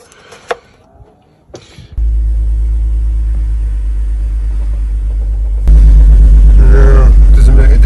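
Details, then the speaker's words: BMW Z4 3.0 salvage car that also has a faulty DISA valve: the engine catches, then idles with a slightly uneven low beat before revs rise, a misfire at idle. "seems to have a misfire which isn't good let's go back a bit of a misfire"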